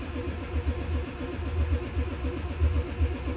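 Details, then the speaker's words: 1995 Ford F-350 7.3L diesel cranking in cold temperatures with white smoke: steady cranking at about four strokes a second, no catch; voltmeter barely dropped during glow cycle, glow plugs not drawing current; faulty glow plug relay, later replaced. "the truck is not starting these cold temperatures so again needle didn't drop very much at all"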